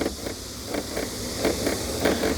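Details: New Kia K8 at new-car inspection: pressing down on the top of the trunk lid gives short creaky rattles in pairs, about three a second. The K5 checked for comparison makes no such noise.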